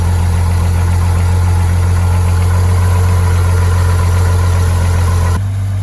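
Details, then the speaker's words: 1986 Ford F150 Bullnose, 300 straight-six, cold after sitting in snow at 40°F, just started with battery hooked up and starting fluid: deep, steady low rumble, even unhurried beat, no knocks or misses; idling smoothly. "love it 300 is sitting there purring away and look at this even with all the weight on the cab and the fact that the floor is Rusty like new"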